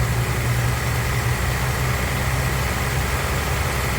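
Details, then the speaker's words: 2018 Ford F-150 2.7L after water pump replacement, jump-started from dead battery: steady, even low idle rumble with no misses, knocks or squeals; alternator charging 14.2 V, engine healthy. "starts up no problem look like we according to the jump box alternator is good we charging at 14.2 volts"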